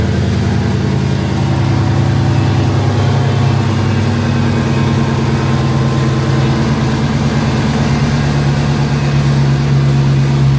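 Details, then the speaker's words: Dodge Hellcat V8, after teardown for a rough idle with no codes, started on a jump box: deep, even idle rumble with no stumble or skipped beats; not shaking, running fine now. "well she's not shaking so I think we're good"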